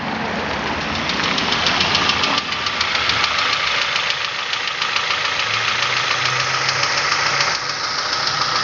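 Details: Nissan Almera 1.8 at idle: loud, hard, fast metallic knocking about three per second; dipstick dry soon after topping up oil and oil spits from the exhaust 2–3 m when revved; serious engine knock, cause unknown.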